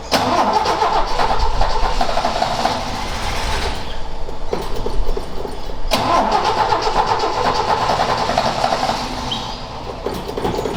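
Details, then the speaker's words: Ford XA Falcon, parked outside for a long time and not run, attempted restart with a hot coil and a poor distributor cap; engine catches and runs, then stumbles and cuts out before picking up again as the float bowl runs dry: fuel starvation. "I might have to Chang it out and see if that's in better but the flood B was empty"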